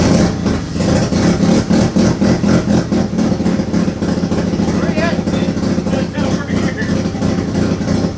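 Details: Turbo II FB RX7 rotary engine on its first real run, after leading/trailing coil checks; uneven, lumpy idle pulsing about three times a second with ragged revving blips, misfiring, smoking out the garage. Rough running.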